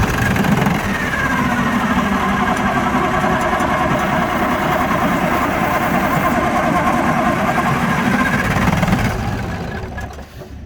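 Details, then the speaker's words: Allis Chalmers HD11 crawler dozer diesel, sat unrun for 3 years, batteries fitted and oil topped up: steady rapid starter chugging for about nine seconds, never catching; cranks but won't start, ether alone not working, next cracking injector line to check fuel. "John said ether alone's not working, so now we're going to crack ejector line, see if we can get any fuel through, and then probably go back to ether."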